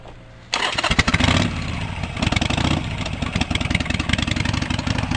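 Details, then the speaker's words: Home-built Cub Cadet 1650 four-wheel-drive tractor started and warming up, throttle held up: loud, sharp, raspy popping idle with no muffling; unbaffled straight-pipe exhaust the owner finds too loud and plans to tame. "I'll show you how the pipe sound too loud I'm gonna I'm gonna tame it down some"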